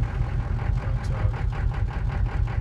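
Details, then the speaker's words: Diesel with DB2 pump, about 19:1 compression, cold start at 13°F after 10 hours outside, no cold advance or fast idle: starts right up but low uneven chugging idle with lumpy beat; rough while cold. "So it's starting right up, no problem. But then it's not very happy to run. And I've had this happen before with cold, and it continues to do it for quite a while."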